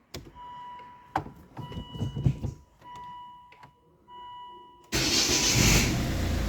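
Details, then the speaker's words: Volvo V50 MK1 1.6 D4164T 80kW diesel with intermittent stalling, after replacing connector pins on faulty wiring behind engine (CKP sensor change hadn't fixed it): dash chimes and clicks, then catches at once and runs steady; normal start. "yeah it starts okay"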